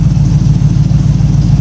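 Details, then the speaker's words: 1965 Mustang V8 warm idle, heard from the rear, just below 180° with the new electric fan and aluminium radiator: steady, even low rumble with regular firing pulse, no misses, no oil burning. "Sounds good from back here. Not missing or anything."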